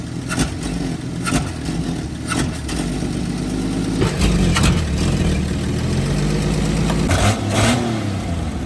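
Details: 1954 Chevrolet with Rochester B carburetor, first start after blowing out the original fuel line: rough, uneven running that stumbles and bogs each time the throttle opens; blocked accelerator pump passage leans the mixture.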